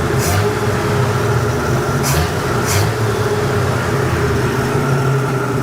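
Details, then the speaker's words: 1967 Ford F-100 240 six revived after 30+ years parked, running on straight pipe with no muffler and timing untuned (distributor just stabbed in, occasional hiccup). Steady, even run with no knock; sounds pretty good, runs decently. "hopefully that's no big deal but it sounds pretty good when you rev it"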